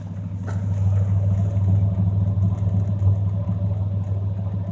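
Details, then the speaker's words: 1989 Ford Ranger GT V6 after a tune-up: low, steady, even idle rumble with no misses or knocks, running really smooth, with a faint light rattle thought to be the license plate cover. "she is running really smooth. A little bit of rattling you're hearing this license plate cover, I think. So, but otherwise, she's running good."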